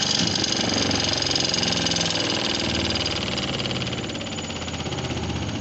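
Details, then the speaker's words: Dawlance home spin dryer after the motor coupling, which had excessive play, had its nut-bolts retightened: an even, steady motor whir with no knocking, rattle or wobble; the motor that was noisy before now runs smoothly. "अब यह motor बिल्कुल smooth चल रही है"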